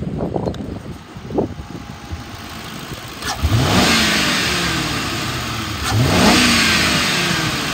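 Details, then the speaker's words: 2010 Ford Crown Victoria Police Interceptor, 142,000 miles, automatic: two quick revs climb strongly from idle but the note stumbles unevenly, a steady misfire under acceleration with slight hesitation; also slight misfire at idle. "motor sounds good and it does rev up strong but there's a steady misfire when you accelerate it and a slight hesitation"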